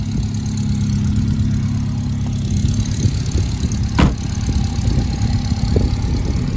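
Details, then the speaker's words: 1967 Alfa Romeo Giulia 1300 TI, cold start in 28-32°F weather, choke used, idling just above 1000 rpm with single center muffler, heard from exhaust while still warming: steady even low burble, no misfires; normal smooth idle. "so we do have just the one Center Muffler around here and listen to efficently Smooth motor just out of a lengthy TPI sorting visit at Auto Sprint of Chicago"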